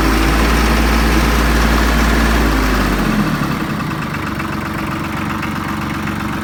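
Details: Branson 3520h tractor diesel after a valve adjustment for tapping/slapping valves. It idles with a steady, even beat that settles lower after a few seconds, with no tapping; fixed and healthy.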